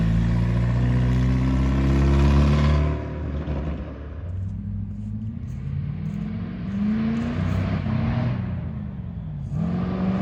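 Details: Crown stock race car revs hard then abruptly falls off at the same rpm and climbs again, repeating; crew suspect a rev limiter or chip problem, unconfirmed, though it runs better than before after new intake.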